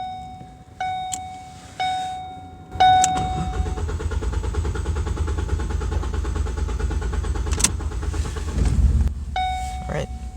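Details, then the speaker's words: Ford Focus four-cylinder, about 2016, with a cylinder 1 misfire, cranked after warning chimes: starter spins the engine at a steady, even rhythm for about six seconds with no knocks or scrapes; cranking sounds normal. "sounds good i don't hear anything weird i love the four cylinders super easy to work on"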